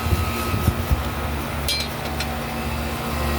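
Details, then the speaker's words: Home AC condenser fan motor that had seized, powered on after the DIY fix: a few light knocks at first, then a steady hum with a constant whir as it turns smoothly for now; the motor later failed again on day two. "if that's not money I don't know what is so hopefully that's all it needed cuz this thing was seized it was not turning on"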